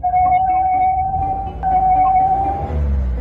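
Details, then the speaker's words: Car engine revved: a clear, steady high whistle over a low engine rumble when throttle is applied, caused by carbon-fouled intake passages rather than throttle body or turbo faults. "duyuyor musun? Motordan ıslık sesi geliyor."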